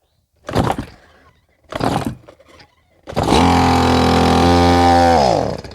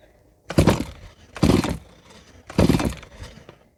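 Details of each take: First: Old unserviced Stihl MS170 chainsaw, two-stroke, after repairs, dry carb priming: two pulls, catches, revs briefly and dies within about three seconds; air leak at aged intake boot not making contact, possibly flooded. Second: Stihl MS170 chainsaw, made March 2008, never serviced, after cleaning a clogged spark arrestor screen: three firm pull-over strokes with strong whoosh and even resistance during a compression check; healthy cylinder, good compression.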